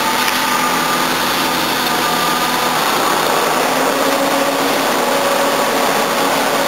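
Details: 1977 Jaguar XJ12 Series II, 5.3L V12 EFI, after new radiator and new fans fitted, not fully warmed, air conditioning switched on: steady even hum with faint fan hiss, no knocks or misses; smooth normal idle under AC load.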